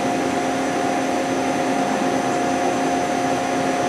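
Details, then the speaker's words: CNC spindle with two-gear gearbox (0–1,200 and 1,200–6,000 rpm) at constant low rpm, about 100–600: steady even whir, a little loud, no knocking or grinding; gearbox acceptable. "I didn't run it in water made up yet so it might be a little loud but I hear you know the gearbox it's okay you know it's not one of the loudest gearbox you can hear"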